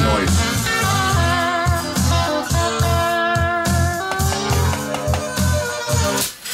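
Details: Alpine EL6000 cassette deck after re-soldering cracked switch joints and adjusting the bracket to cure popping: blues guitar plays back cleanly with no pops, crackles or dropouts; rewind still fails from sticking take-up spool.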